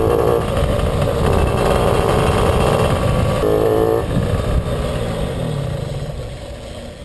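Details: Puch Maxi 2 HP two-stroke under way stutters and drops out unevenly, a couple of beats a second, and bucks when pulling away; ignition misfire traced to a loose contact in the NGK plug cap with a broken pin, not the carburettor.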